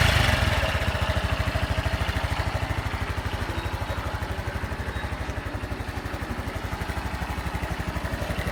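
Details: Honda Super Cub 110 JA07, fuel-injected, fully stock, start-up check: an even, steady single-cylinder putter at a brisk, settled speed with no knocks or ticks; normal running with no abnormal engine noise.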